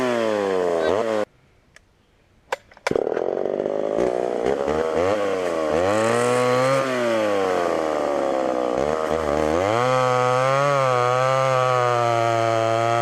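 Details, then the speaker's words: Homelite Super XL chainsaw with 20-inch bar, cutting wood on secondhand non-ethanol fuel: strong high two-stroke scream bogging into the cut and recovering; runs pretty decent, needs a little more tuning and chain sharpening. "well that was almost too easy thing runs pretty decent use a little bit more tune in here and there sharpen that chain up"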